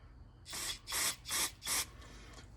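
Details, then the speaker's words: Ford 302 V8 fuel injector (three-hole) bench-tested after cleaning to cure a hit-and-miss idle: four crisp, even hissing sprays about a third of a second each, no sputter; atomizes well, a good injector. "This atomizes real nice. So that's a good injector."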